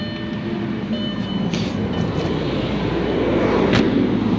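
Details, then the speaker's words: 2000 VW Passat 2.8 V6 4Motion running after replacement of the engine speed (crank position) sensor that caused stalling: a steady, smooth, quiet low rumble with no misfire, knock or check-engine lights. A slight exhaust leak is audible only under throttle. "All right, you can hear it. I've never found that screw. It's dangling around somewhere. Anyway, you can hear it. It's pretty good, nice and quiet. No check engine lights."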